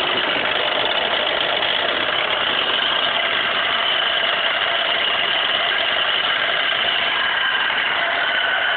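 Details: 2002 Pontiac Grand Prix GTP supercharged, light quick metallic tapping at idle right after start, appeared after running low on oil (about 2 quarts); reportedly fades when revved, cause unknown.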